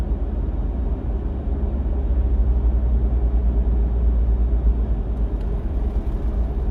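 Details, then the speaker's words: Fourth-gen Toyota 4Runner automatic at low speed, low rpm, light throttle on smooth road: deep uneven rumble-strip drone and vibration, torque converter shudder blamed on sealed lifetime transmission fluid; fixed with Shudderfixx. "like you can see I mean this is why they give it the name a rumble strip uh transmission issue I mean that's exactly what it sounds like"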